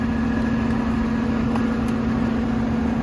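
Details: Goodman condensing unit compressor on a maintenance call, with a leaking low-side Schrader valve found: even low hum, steady tone and level, no rattles or knocks; running normally, apparently just normal wear and tear.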